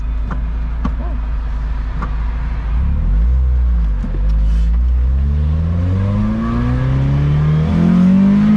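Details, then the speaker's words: Lotus Elise after fixing a suspected blown exhaust gasket, under a full-throttle pull: engine climbs smoothly from low revs, steadily rising pitch with no rasp, drone or rattles; exhaust now quiet and sealed instead of loud and ugly. "hell yeah much better you can actually hear the vitae crack now yeah that's just sounded ugly before"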